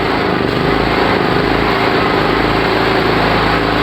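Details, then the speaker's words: Generator running on gas; steady buzzing drone sags slightly midway as revs drop, too little gas, running lean; a bit more gas reaches the ideal point. "de que no se nos caiga el motor en vuelta, como en este caso. ¿Ven? Ahí le falta gas."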